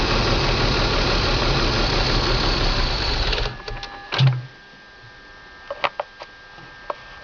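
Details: BMW M54 325 cold start every morning: idles a few seconds with an uneven, stumbling beat, then shuts off. Misfire logged in cylinders 3 and 5, sometimes 4. Crankcase valve, plugs, coils and fuel filter replaced, injectors cleaned. Smooths once warm past the blue zone. Cause unknown.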